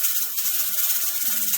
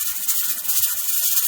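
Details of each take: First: Pressure canner processing tomatoes on a stove while heat is slowly adjusted to find the sweet spot: continuous hissing steam with quick irregular rattling ticks from the weight rocking, canner venting steadily at pressure, normal. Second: Pressure canner: loud, continuous sharp steam hiss as the rocker weight rocks; the gauge shows about 12 psi, slightly high, so heat is being lowered a little at a time to settle the rocker at the correct pressure, which must stay above 10 psi.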